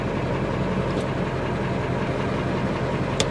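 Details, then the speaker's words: Ford F350/F550 salvage diesel truck with PTO, idling in neutral after transmission check, good oil pressure, weak booster pack: even low diesel rumble holding steady with no knocks, misses or whine; normal idle. "everything looks good on the dash good oil pressure she sounds healthy"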